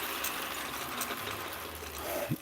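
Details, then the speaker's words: Atlas Craftsman 10" lathe, low range, gear train engaged after a neutral baseline: soft even whirr, faint tick, none of the usual straight-cut gear rattle; mostly plastic gears, with slightly too much lash; healthy, quiet. "now i'm going to put it in gear and you don't hear all that rattling and all the nasty sounds that you normally hear from a straight cut lathe gearbox"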